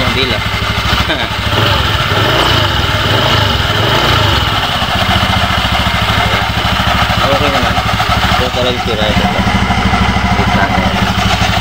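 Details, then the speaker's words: Honda Beat FI v2 scooter running with the CVT case cover off, steady rough rattle and hum over the engine note; mechanic finds a part loose, worn from overheating after a long ride, and will swap in an old torque drive to test; loose CVT bearing noise. "ito yung sira ni ito maluwag to dito ito dumikit overhead sobrahan ng ano takbo"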